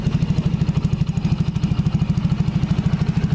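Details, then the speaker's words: Yamaha Jupiter Z small single idling with its noisy exhaust blocked off: steady, soft, even putting at about three beats a second, very quiet with no clatter, almost as if not running; normal healthy idle. "Oh ini ditutup suaranya lembut tidak terdengar nih untuk yang punya motor suara mesinnya sudah senyap seperti tidak menyala tuh"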